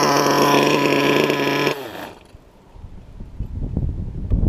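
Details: LRP .32 engine with a Novarossi race carb on its first run of the day: a shrill, steady, very high-revving scream for under two seconds. The high-speed needle is set a bit too lean and needs backing off slightly.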